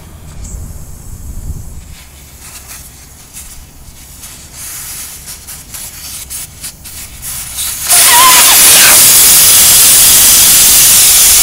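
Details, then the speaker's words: Ram ProMaster City tire, valve stem core being unscrewed and replaced: handling noise, then from about eight seconds a loud steady hiss of air rushing out the open valve stem, losing tire pressure. "now you can see what happened though I wasn't quite so quick about doing that with all that air rushing outs I lost quite a bit of air in the tires"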